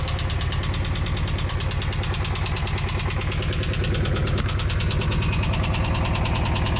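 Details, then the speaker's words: VW T3/T25 van ("Buggly") engine at steady idle during a minor home service: light, fast, even ticking about three per second over the idle, quite tappety because it hasn't had a long run for a while; suspected valve tappet noise. "don't know if you can hear me because it's quite tappity because I haven't taken it on a long run for a while"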